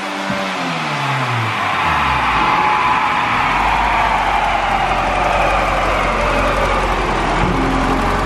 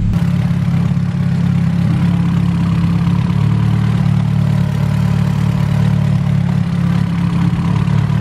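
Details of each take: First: Turbo car pulling hard on the dyno, then a sudden whoosh and loss of pull as boost dumps. The boost pipe connecting to the intercooler has blown off, felt by hand behind there. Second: Hatchback with newly fitted distributor, ignition timing being set to match the ECU: deep, steady idle, consistent note without misses or pops, tone changing as timing is retarded then advanced; engine running as it should.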